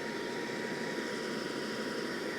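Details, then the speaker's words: Brand-new secondary air injection pump for Mercedes M272 V6/M273 V8, run on the bench on direct 12 volts: smooth, even high-pitched whir and strong airflow, no screech; healthy air pump reference sound. "so there's the sound you want to hear now that you got to hear a brand new secondary air pump run on the bench"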